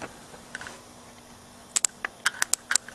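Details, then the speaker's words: Go-kart small engine with a points-and-condenser ignition, points jumped with a screwdriver during a spark check: crisp, irregular snapping ticks, about eight in under two seconds; the points are dirty. "Yeah, I can hear the snapping. So, definitely is just points. They're dirty."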